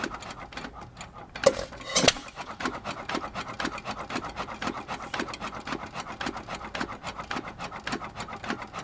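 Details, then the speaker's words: Light steady clacking near 100 a minute with an occasional heavier bang as a 102-year-old, largely original, never-rebored hit-and-miss engine (1 1/2hp T.Eaton or 4hp Nelson Brothers) coasts; cam knocks on the exhaust latch-out arm average about 30 between firings; normal freewheeling. "so we're hitting about 30 on average out of this 102y old engine I don't reckon that's too bad considering we also haven't been in the boore or anything with it"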